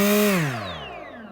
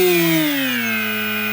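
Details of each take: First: RaceCore 5040 bullnose propeller on DYS SAM GUK 2400 KV motor, delta-wing pusher: clean motor-and-prop whine holds, then winds down smoothly with no wobble beat, humming or vibration. Balanced propeller running smoothly. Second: Cheap AliExpress propeller, mounted in wrong orientation for pusher, unbalanced: loud buzzing hum with coarse throbbing edge, holds, dips and winds down. Unbalanced propeller vibration.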